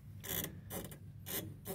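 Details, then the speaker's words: Yamaha piano: four short, bright squeaky rubbing bursts, about two a second, as the felt action mechanisms are pulled back by hand; squeaking piano action felts. "coming from the field mechanisms when you pull back these felt mechanisms like a hero sound"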